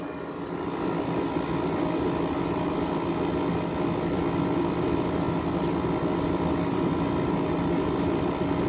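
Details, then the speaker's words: Frigidaire 12,000 BTU window air conditioner, just repaired and cleaned, running outdoors: steady even hum with a faint rapid pulse from compressor and fan, no knocking; possibly a reciprocating compressor; normal compressor running. "i'm not sure if it's just me but this compressor kind of sounds like a reciprocating compressor i'm genuinely being serious about"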